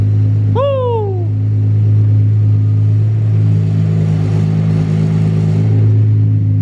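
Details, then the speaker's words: Datsun 280ZX turbo L28E six on new Haltech 550 ECU, first start: deep, even idle held a bit fast, no misses or knocks, quiet deep six-cylinder exhaust; idle had been raised because it wouldn't idle well, now runs smoothly. "yeah she's idling high now so we turned the idle up a lot before because it wouldn't idle super well and now that it's idling well we can turn the idle back down"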